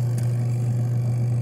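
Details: Portable twin-tub washing machine (5 kg capacity), empty spin tub running after repair of a no-power fault traced to a bad cable: steady, even low hum from the spin motor, no catches, surges or scraping; spin only wrings, doesn't dry.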